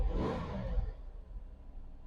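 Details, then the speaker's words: Cadillac limo that sat about 8 years in a Colorado forest, after fixing MAP sensor wiring, other sensors and a vacuum line: quick clean rev rises and falls smoothly to idle, no stumble; idle much better, RPM drops less in gear. "now this this thing runs great idle so much better and it doesn't drop as low RPM when I put it in gear"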